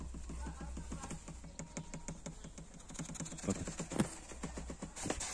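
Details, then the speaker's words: 2016 Suzuki Vitara front console: quick hollow plastic tapping, about two knocks a second, from the hot-air heater duct rattling against dashboard trim; fixed by adding padding under it. "Şurada şöyle sıcak hava ORT borusu var yandan şuradan sıcak hava çıkışı gelen kısım bunu şöyle yaptığınıza bakın ses geliyor"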